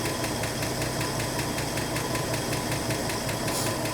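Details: 1984 Ford F150 short-box 4x4 after a head change and valve adjustment: a smooth idle with a light, regular tick of about two to three per second. Top-end ticking is suspected, and the valves may need readjusting.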